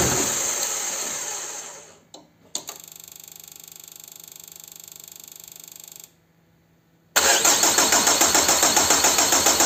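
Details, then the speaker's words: Peugeot/Citroën 1.9 diesel DW8 engine, cold, after replacing leaking injection pump advance solenoid valve: starter grinds with steady whine, pauses, then catches and settles; long cranking from air in opened fuel system, needs priming. "Well now we have it started and ready for you It has cost so much because the pump is open. Well, it hasn't gotten much air out there."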